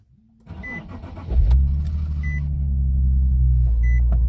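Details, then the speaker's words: Normal start on a Nissan 370Z Nismo whose complaints are long cranking, low power and a fuel gauge that drops on startup. After the fuel pump primed twice, a quick crank catches cleanly into a steady idle without hesitation. A fuel pump assembly is suspected. "Yeah, I'd say that was a much better start compared to the first time. I didn't feel an extended crank. I didn't feel like it trying to start, and then when it did, there's no hesitating. It just runs like normal."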